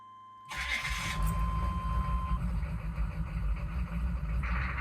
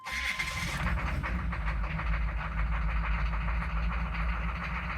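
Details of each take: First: Chevy/GMC 6.5 turbo diesel truck with an aftermarket turbo and an inexpensive pump mounted driver (PMD), first start: it cranks, catches abruptly and runs lumpy. A rough first start every time from the PMD; restarts are fine. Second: Chevy/GMC 6.5 turbo diesel with aftermarket turbo, restarted after glow plug cycle following a struggling run typical of a failing PMD (pump mounted driver); steady smooth idle with no misses or stumbles; normal idle.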